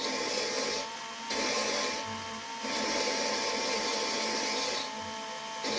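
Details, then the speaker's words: 5.2/5.9 cylinder head valve being lapped into its seat with grinding compound, spun by a drill at low speed: steady high whir with gritty scraping, dropping briefly every second or so; grinding pitch changes as the seat forms. "You'll hear the grinding sound pitch change as you go. You just let that valve grinding compound do its thing."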